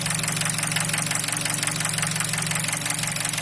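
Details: 2003 Nissan Wingroad QG18DE petrol, automatic, AWD, warm idle about 700 rpm at 90°C with lights on, oil pressure about 1.5 bar; sharp even knock about three beats a second over the engine, cause unknown.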